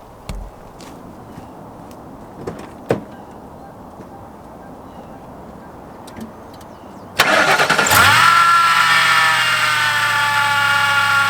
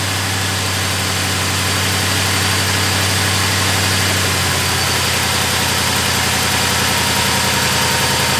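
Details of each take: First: Crown Vic or Grand Marquis (2003–2011) started with the serpentine belt on. The engine fires into a harsh, raspy whir with a thin squeal over idle; noise from the belt area. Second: Crown Victoria / Grand Marquis after replacing the belt tensioner, idler pulley and serpentine belt: smooth, even idle with a steady low rumble and no squeal, chirp or rattle, belt tracking correctly; normal idle.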